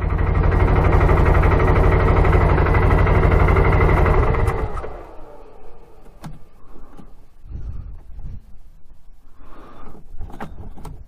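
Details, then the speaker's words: 2012 Arctic Cat Wildcat 1000 in snow after hitting about 50 mph: engine running strong then abruptly dies and won't restart, silent apart from handling noise; electrical cutout, owner suspects something got wet. "Huh. Not turning back on. Wonder if something got wet. What the heck? Just shut off."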